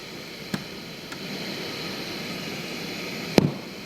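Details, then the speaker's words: 1971 JCPenney model 1758 solid-state stereo, stored decades in an attic: steady loud hiss with a couple of clicks and no program, heavy in the right channel and almost none in the left, varying with volume; right-channel amplifier hiss fault. "so i hear a lot of noise over on the right channel there's virtually none in the left channel there's a lot of hiss in the right channel"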